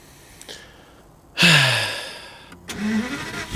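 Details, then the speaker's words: Aston Martin DB9, crash-damaged, new battery fitted, after earlier start-then-stall attempts: short crank, catches with a sharp rev flare that drops away, then a steady even idle; normal start. "oh that was a oh she sounds good does it drive"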